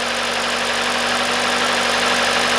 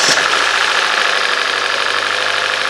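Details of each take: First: Hyundai/Kia 2.0 engine after timing chain, sprockets, VVT solenoids and exhaust camshaft replacement, restarted after all four ignition coils replaced: steady even idle, no stumble or missing beats; runs great. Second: Hyundai/Kia 2.0 engine first start after timing chain, sprockets, VVT solenoids and exhaust camshaft replacement, long sat idle: rough uneven idle with light fast ticking and a misfire.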